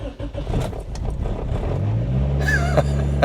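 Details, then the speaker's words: Infiniti G20 with SR20VE engine, not run for years, new K&N cone filter, fuel pump primed, clutch in, not in gear: uneven starter chugging about two seconds, then catches and settles to a steady low idle; engine starts and runs. "There you go. It runs. It's alive."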